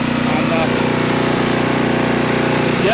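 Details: Renovated Troy-Bilt Horse tiller in low gear, tines set deep in rocky soil: small engine holds steady buzzing note without bogging or rattles under load, working pretty good; one brief belt squeal when a rock was hit, belt may need tightening.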